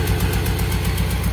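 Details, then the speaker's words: Toyota Soluna engine limps and stutters when revved; uneven blub-blub puffs from the tailpipe at idle, misfire traced to faulty spark plug wires, checked by pulling wires one by one. "ini kita bisa ee dengarkan untuk mesinnya ini e pincang ya ini ketika kita gas Dia ee kerasa ngebreerebet gitu oke"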